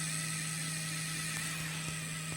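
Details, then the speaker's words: Artillery Sidewinder X3 Pro 3D printer feeding filament: extruder motor gives steady low buzz, high whine and uneven clicks without feeding; nozzle not clogged, fault was a burnt pin on the flat extruder cable, fixed by replacing the cable. "Qué quiere decir esto que no está obstruido solo que el motor que hay aquí para tirar el cable para abajo no funciona por no funciona por bien"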